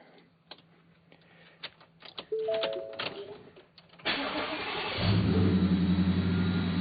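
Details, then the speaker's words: Factory Five XTF truck on a new tune: engine cranks, catches, then settles into a steady even run with no metallic rattle from the exhaust, which previously rattled when pulling out. "used to Rattle right in here remember it's pulling out I even mentioned in one of the other videos it was rattling um it's not doing that now thankfully"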